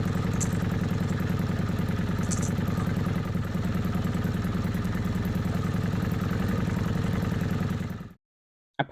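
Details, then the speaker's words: Kawasaki Vulcan 750 V-twin, warm idle, manual cam chain tensioner loosened one and a half turns from starting point: rapid uneven metallic clatter of slack cam chain beginning to clank; more noticeable at two turns. "what you heard on the video was one and a half turns loose from this starting point that's when the clanking started"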